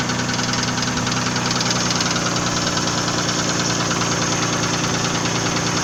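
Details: Nissan VG30E engine idling: rapid metallic knocking about three per second over a rough-sounding idle; engine knock, source not pinned down.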